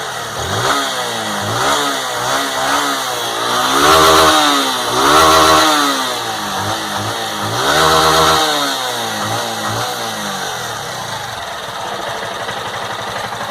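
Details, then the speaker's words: Honda Fan 160 motorcycle, warm, in neutral with original exhaust, revved: clean blips up and back, smooth and even with no tapping or rattle; owner hears none of the engine noise others report on this model. "Sinceramente eu não não escuto esse barulho né não tem nada nesse motor que me incomode"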